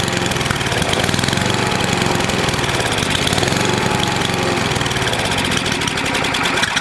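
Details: NOMA 8hp snowblower single-cylinder engine with the plugged gas line blown clear, warmed up for an oil change: a steady, busy running note with no stumbling or surging. It runs fine.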